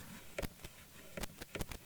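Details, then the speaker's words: Analog mixer channel fader being moved: irregular scratchy pops and crackles in bursts over a quiet background; dirty fader track that needs cleaning. "yeah there's some crack them in there oh listen to that wow that's bad"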